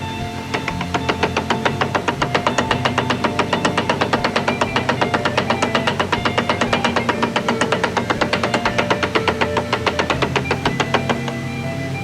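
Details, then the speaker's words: Nissan S13 race car after a Gridlife event, engine off, pushed onto a lift: quick regular knocking about four times a second from the transmission; a missed shift is suspected as the cause, tail housing leaking badly. "I mean, there was definitely a missed shift. So maybe that was some cause or some reason for why it's making this noise."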